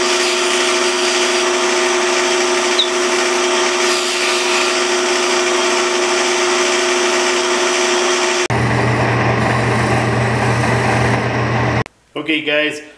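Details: Lathe turning a small wooden prototype pattern piece after the tooling was shortened. A steady, even hum with no chatter or thumping, then a lower steady drone as it slows: the lathe is turning smoothly.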